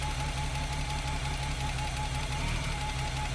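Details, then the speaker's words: BMW E30 323i Baur, after 10 years sitting, running on starting fluid sprayed into the throttle body: even, steady idle with a smooth low pulse and a light constant hum, no knocks or misses; runs pretty quiet and healthy. "Got a new one this time, and I'm just going to fire it into that throttle body and just let it run for a little bit. Actually sounds pretty quiet."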